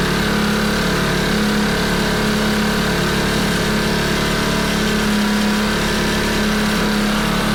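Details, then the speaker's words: Front-tine rototiller with a small Predator engine, half throttle and choke on: fast, steady single-cylinder running with heavy smoke that varies over minutes; suspected to be burning oil, and the engine may be bad. "so so it ran for a good like five or ten minutes and the smoke defining was bad then it got really good then they got a little worse"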